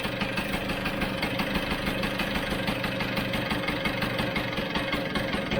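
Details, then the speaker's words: Vespa GS150 scooter, fuel newly added, warming up while the carb is adjusted: slow, steady knock-knock beat at idle with an even rhythm and no hunting, carb set correctly by air screw and idle adjustments. "sounds like a steady knock knock knock knock knock no all right so let's lock that off there"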